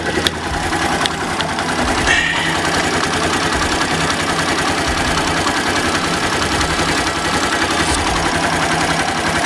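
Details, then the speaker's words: Daelim small single after lubrication, idle set to about 1300 rpm from over 2,000: a steady, even putter at a settled low idle with no hunting, misses or knocks; idling healthily. "yeah that's good sounds good"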